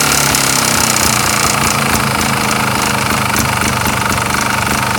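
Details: 2007 Sherco ST250 two-stroke at idle; harsh, rattly clatter about three and a half beats per second; owner suspects piston slap, cause unconfirmed.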